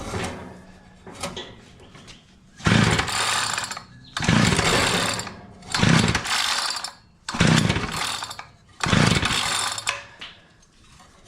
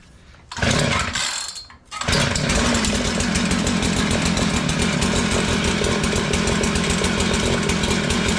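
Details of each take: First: Curb-found Mantis-style tiller, two-stroke Tecumseh engine, choke at half position, before carburetor work: five hard pull-start bursts, sputters and spits but never catches; starter rope then fails, recoil dogs need cleaning; engine fails to start. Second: Curb-found Mantis-style tiller with a Tecumseh two-stroke, started on choke: it catches and holds a fast, buzzy, steady run, but the throttle does not respond; the carburetor was adjusted afterward.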